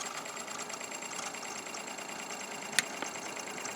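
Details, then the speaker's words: 1960 Philips EL 3542A vacuum tube open reel tape recorder on play gives a quiet, steady whir with light even ticking and one click; bearings seem to be freeing up, while rising power draw suggests a bad capacitor. "Okay, the more I play with it, the more it's coming back to life. It seems like the bearings are starting to free up."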